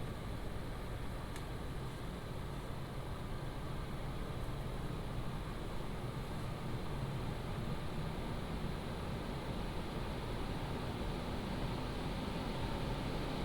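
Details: PCcooler DT360 ARGB Display liquid AIO under Cinebench load, pump at 100% with radiator fans on high profile, heard together: soft steady whooshing hum, no whine, ticking or rattle; normal fan noise.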